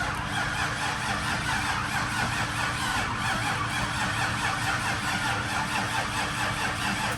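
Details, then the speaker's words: 2002 Trans Am with freshly swapped 6.0L LQ4 V8, first start: engine catches but runs ragged and uneven, about one and a half stumbles a second, struggling to idle; rough cold start likened to an E85 cold start, cause unconfirmed. "Kind of sounds like an E85 cold start. Just doesn't want to fucking go."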